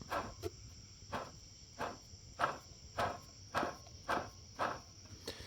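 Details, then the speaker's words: Geo Metro, engine off, water pump shaft turned slowly by hand, pump coated in gummed antifreeze and leaking: gritty rasp with each push, about two a second, plus noticeable shaft play; water pump bearing bad. "Pretty rough. And I don't know if you can see it, there is a fair amount of movement on that pump. So the water pump's bad."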